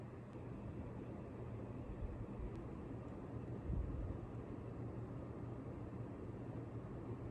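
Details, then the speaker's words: Ceiling fan on high speed after tightening its screws to fix clicking: steady low smooth whoosh, no clicking or noise. "no noise a little bit of dust but no noise i think it was the blade screws because the other one seemed pretty tight"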